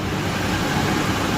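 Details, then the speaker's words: Ford E-350 van idling fast at a raised, even idle that never drops back; it's revving kind of high, cause not pinned down. "high is revving kind of high."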